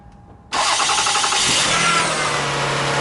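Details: 2001 Toyota Sienna after fixing a no-crank bad starter, charging watched on scope: short starter whirr, engine catches right away and settles into a steady even idle, charging to 14.4 V; normal start.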